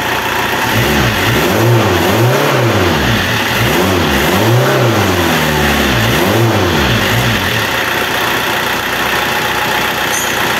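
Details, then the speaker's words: Renault Kangoo F8Q 1.9 diesel adapted from Lucas Delphi DPC to mechanical Bosch VE pump, just repaired after racing and not holding idle; smooth rev blips returning straight to steady idle without hanging or running away; sounds impeccable; normal. "bueno el motor El sonido del motor se escucha impecable muchos dijeron que al instalar bombas mecánicas el motor queda más ruidoso"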